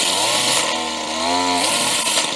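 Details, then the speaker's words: Used chainsaw with a very loose chain, chain brake test: revved up; pitch climbs then drops while the chain stays locked. Brake works well. "okay and that works pretty good"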